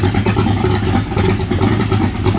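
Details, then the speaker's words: V8 in a 1923 T-Bucket kit car, warmed up after needing choke: deep, lumpy burble with quick, clean throttle blips and no knocks or rattles, a healthy engine. "Sounds like a damn race car, man."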